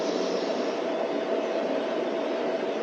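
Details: DIY waste oil burner after adjustments with thick disc, steady even roar with no pulsing, sputtering or surging, definitely putting out heat; firing cleanly with a stable flame, normal.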